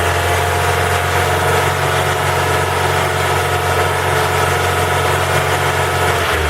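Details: Ford Focus 3 with PNDA engine at cold idle: a steady low idle with a faint light ticking on top, more noticeable while cold; cold-engine knock, cause not confirmed.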